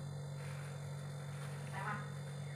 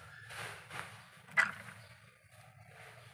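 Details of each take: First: Panasonic inverter refrigerator reported not cooling (fan runs, board not powering compressor), on-site repair: after reassembly and plugging in, compressor runs with a smooth steady low hum, no clicking or rattling; clamp reads about 0.7–0.8 A; normal compressor running. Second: Panasonic inverter refrigerator not cooling, fan running, control board reconnected as original and powered on. A single sharp relay click, then near silence with no compressor hum; no voltage measured at the compressor feed. Faulty control board, no power to the compressor.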